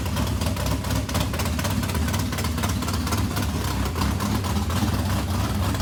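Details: Race modified V8 first start after months of work, new Edelbrock fuel pump: loud lumpy big-cam idle, running steadily on its own once fuel reached it; healthy, water pump gasket leaking on passenger side.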